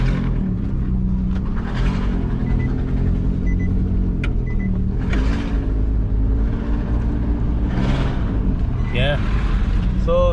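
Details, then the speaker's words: 2015 Nissan Caravan E26 (NV350), loss-of-power complaint, back-pressure testing: deep loud constant exhaust rumble while driving, far louder than stock, from a leaking muffler. Exhaust leak. "yeah the muffler is Hing really loud because they have a basically a leak in the muffler"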